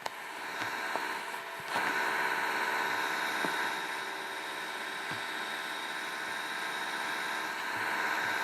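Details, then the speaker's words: Sony PS2 Slim (video concerns its faulty disc spindle motor): steady, even cooling-fan whirr with faint tones and no ticking or rubbing; the fan runs normally. "so anyways this is what my cooling fan sounds like not sure if you guys can hear that"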